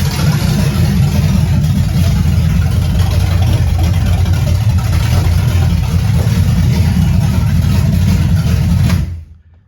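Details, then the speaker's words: 1978 Camaro 383 stroker with Vortec heads, first start up, timing advanced about five degrees, throttle unhooked: catches easily into a steady slightly lumpy idle; mild cam, not high compression, healthy. "i think it's got a little cam to it you can tell it's not a super high compression moto"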